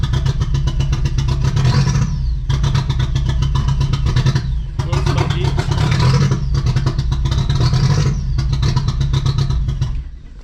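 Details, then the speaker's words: VW Golf 3 with a 1.8T swap that hadn't run in months, first start: revs surge and sag about every two seconds, never settling, a hunting idle from a vacuum leak. "it seems like for one it runs and sounds kind of cool a little poppy a little smoky too hasn't ran in a long time um it seems like it's it's searching"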